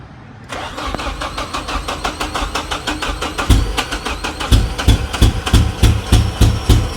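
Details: Nissan 240SX, running on its own for the first time after a distributor rotor with a busted internal connector was replaced, on a temporary open exhaust: it catches and settles into a steady, slightly lumpy idle with even pulses. Normal idle.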